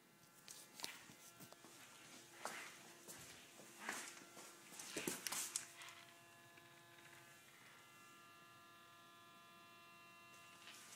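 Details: 2010 Toyota Tundra: faint, steady mid-pitched buzzy hum, nearly covered by clicks and rustling handling noise.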